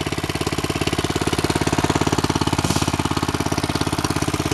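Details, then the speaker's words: Go-kart small single-cylinder engine at cold start on a snowy day, with snow in the muffler: fast even idle with a light clicking tick of the valves, no leaks. "you can hear the valve clicking and ticking no leaks though"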